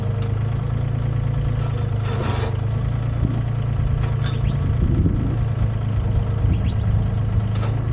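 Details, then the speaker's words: Used Komatsu PC10-3 mini excavator small diesel starting: it catches and settles into a steady, even low idle with only light clatter; starts like a dream, healthy start. "start it and go to work that's another problem starts like a dream"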